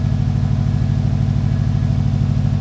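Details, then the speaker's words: Subaru WRX idling smoothly at its first start after the gas tank was derusted in the car with Evapo-Rust; fuel pump running, low even pulsing idle with no misses, knocks or ticks; normal idle. "Car's running. Oh my gosh, this is exciting."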